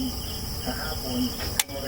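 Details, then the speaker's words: DB Audio Astron amplifier gives one sharp dry click over faint hum at power-up: speaker protection relay engaging normally after replacing a 680-ohm resistor, fixing no output and no relay click. "So yun nag-click na so nag-click na yung relay niya mga buddy so bingo na yan"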